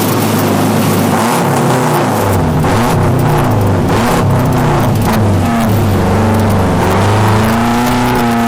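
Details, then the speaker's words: Subaru WRX drift car with new 750cc ASNU injectors, TGV deletes and fresh remap, revving hard mid-slide on a wet track with fuel at 3/4: engine repeatedly drops out and stumbles then picks up; intermittent fuel cut, owner suspects fuel surge needing a surge tank. "now fuel level was down a bit 3/4 and there was an awful lot of water on the track but we got this really weird fuel cut listen to this"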